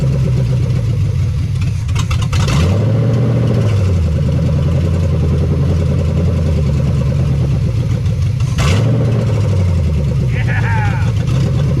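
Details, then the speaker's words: 1975 Chevy Nova stock small-block V8, sat 35 years, no fan or belt, seized water pump: two sharp rev blips falling back to a fast, even idle on open headers, no knocks; high idle from vacuum leaks. "And we have a bunch of vacuum leaks, so she wants to idle nice and high, but I know where those are."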